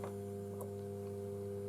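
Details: Bose Wave Radio AWR1-2W with volume at minimum: steady low buzzing mains hum through the speakers, caused by leaked faulty capacitors on the main board.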